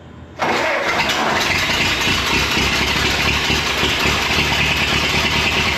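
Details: Rescued abandoned Ford Model T, back on gasoline after failing to run on moonshine: engine catches at once and settles into a steady, even idle with no misses or knocks; running cleanly.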